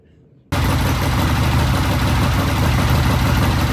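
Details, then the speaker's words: Vintage British motorcycle kick-started on a new temporary ignition system lashed to the frame, with new plug wires, good spark and timing set: catches abruptly and settles into an even firing beat, no misses or knocks; best it has ever sounded. "Okay, there's the bike running on the new ignition system, the one that's lashed to the frame. This is the vape system. The bike sounds good."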